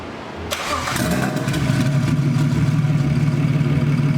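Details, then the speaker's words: 1949 Ford body-swapped BMW, single Garrett turbo, Motiv Reflex Plus controller with new tune, first start: catches quickly, settles into low, even idle without high cold-start flare; owner suspects cold start was turned off. "So it runs, that's good. But it almost sounds like I turned off the cold start because this is a really mild start."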